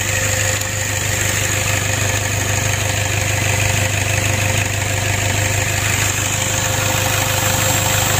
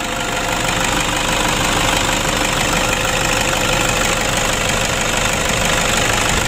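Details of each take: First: Toyota Innova diesel that was hard-starting, rough and low on power, after valve clearance adjustment and replacement of the CMP and CKP sensors: a steady, even idle with no miss, shake or knock. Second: Toyota Innova diesel idling after valve adjustment with clearance set slightly loose: a light, busy clatter of about three ticks per second over combustion, a bit rough but acceptable, preferable to too tight or no clearance.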